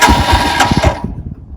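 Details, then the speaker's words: 2021 Royal Enfield Himalayan EFI, cold start in neutral with choke/idle lever down: starter whirs with ragged catches that fail to take, then uneven sputter; reluctant to fire, lever seems to make no difference. "Try it again. Again. I'm going to give it the beans. It's just hinky as hell. I don't hear any difference, and I don't see any difference."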